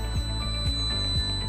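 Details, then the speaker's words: TVS Jupiter 125 scooter with side stand down: steady high electronic tone with soft low pulse about twice a second plus console signal; side-stand warning as designed, engine won't start until stand is raised. "ये siren आप देख रहे हैं बजा रहा है, और ये ब्लिंकर एक सिग्नल भी आ गया है कंसोल पे।"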